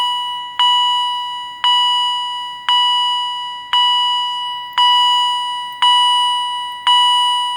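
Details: Second Edwards EST 757-5A-CS Integrity chime strobe, mounting bracket left on; clear high chime about once a second, even fade, no rasp or wavering; higher pitched and healthier than the other unit; normal.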